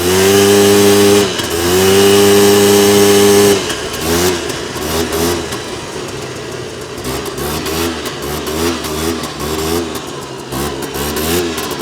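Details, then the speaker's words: 2001 Polaris Xplorer 250 4x4 two-stroke quad in high range, straight gas with working oil injection, after earlier bogging: high-revving wail holds strong, dips, pulls again, rising and falling with throttle; normal full power. "she opening up way better she actually had full power there"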